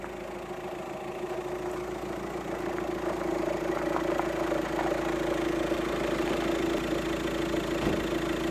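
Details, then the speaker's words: VW Transporter T5 diesel idling: rough pulsing rumble about three times a second, also heard in the cab, fades when revved and returns off throttle; seized alternator overrunning pulley, persisted after replacing auxiliary belt parts. "you hear that sounds absolutely awful and the noise is in here too and it sort of when you rev it up it goes away and then when you come off back it comes"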